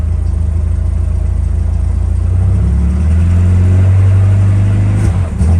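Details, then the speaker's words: Old Lada Niva that has been sitting, dirty carburetor, air filter off: low, uneven, clattery diesel-like rumble that surges and stumbles as throttle comes in. Rough running, likely from fuel delivery. "Sounds like a diesel. There we go."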